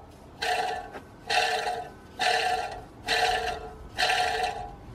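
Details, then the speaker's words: BMW N47/N57 drive belt tensioner, removed during crankshaft pulley and belt kit replacement, spun by hand: five rough whirring grinds with metallic ring, bearing completely shot; new tensioner is virtually silent. "that that bearing is completely shot"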